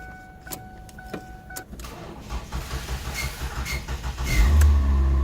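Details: 2007 Ford Focus that would not start because of an aftermarket alarm/immobilizer module, cranked after that module is disconnected: a few clicks and chirps, then about two seconds of steady cranking before it catches cleanly into an even idle; normal start.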